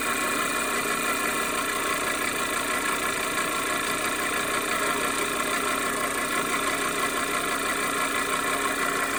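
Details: 2010 Audi A4 2.0L TFSI Quattro (CAEB): constant metallic clanking, rattling clatter over a busy idle with a faint buzz, worsening over time from start-up tapping, sometimes running rough; timing chain suspected but tensioner not fully extended and sprocket spacing within spec. Source unknown.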